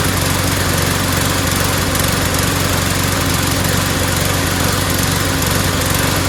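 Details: Mower after fitting a replacement O-ring part: constant speed but ragged, uneven sputtery firing. The owner suspects cloudy, water-saturated gas mixed with two-stroke oil, not the carburetor, and plans to drain the tank and add fresh gas.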